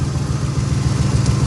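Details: 1980 Chevy K10 V8 idling warm after new transmission cooler lines: low, steady burble, even pulses, no misses, knocks or rattles; no leaks found; sounds healthy.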